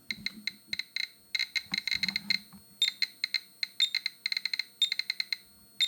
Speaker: Yeah, and the beeping sound that you hear, that is an alarm because this detector here is intended to monitor environmental radiation. And when it starts beeping, that means that the radiation is too high.